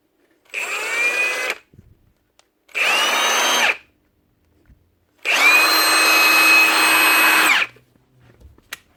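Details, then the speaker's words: Milwaukee M18 FHIWF12 cordless impact wrench (nut gun), normal free run after cleaning dirt and grease from the intermittently cutting-out trigger switch: clean steady high motor whine bursts, no cutouts; clicking noise gone. "Clicking noise is gone too."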